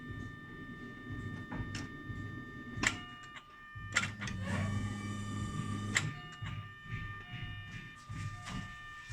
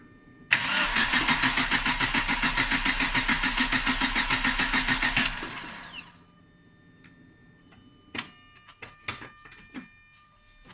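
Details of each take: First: Chevrolet Lacetti, new fuel pump assembly installed in car; quiet steady electric pump whine with some clicks and knocks, some air still in system; relief valve vents, holding about 3.5 atmospheres, normal operation. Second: Chevrolet Lacetti, cold, won't start on petrol despite spark and fuel reaching the rail: starter spins evenly about five seconds without firing; crank no start, gauge shows pressure only around 1.5–2 atm then dropping, fuel pump replaced.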